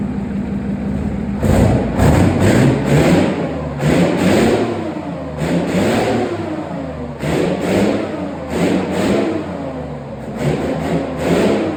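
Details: Replacement engine for Farmer Phil's Chieftain tank, test-run before fitting: deep, steady diesel idle with clean, repeated rev bursts that rise and fall smoothly, no knocks or misses; a healthy engine.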